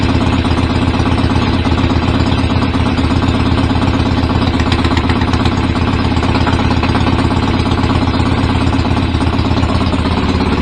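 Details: BSA A50 Royal Star twin, bought as a non-runner, at first start after restoration with pattern exhaust: loud, lumpy, fairly even idle, a touch uneven. Needed throttle to fire; owner suspects timing slightly off and plans a strobe check.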